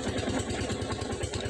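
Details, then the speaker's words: Rusi 250cc motorcycle that stalled and would not start, fuel problem fixed, tank refitted and jump-started: steady, even putt-putt idle at roughly ten beats a second, no misses or stumbles. Normal idle. "So naging problema lang po yung gasolina an kaya namatay yung battery niya So all good na po yung ating motor so aandar naman to"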